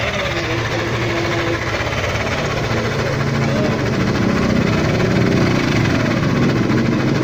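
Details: Yamaha Aerox 155 scooter, one year old, 11k on odometer: loud engine running with an uneven rattling knock about three a second over the drone; source of the unusual engine noise unclear.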